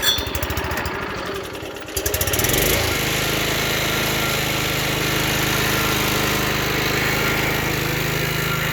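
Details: Vintage Toro GTS 5 hp self-propelled lawnmower, model 20622, Suzuki engine with blade clutch, sat a couple of years, choked and pull-started: brief sputter, then catches and settles into a steady, even run with no misses; normal running.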